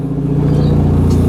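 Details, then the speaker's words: 1991 Saab 9000 Classic Turbo CC, 2.3-litre turbo four, about 223,000 km, just back on the road after five years stored: deep, loud, throbbing unmuffled exhaust boom on every rev because the rear muffler fell off on its first drive. "now you would think that this has a full exhaust or something yeah no I took it out of the garage yesterday for the first time took it for a drive put some fresh fuel in it took it for a drive and what do you know the rear muffler fell off"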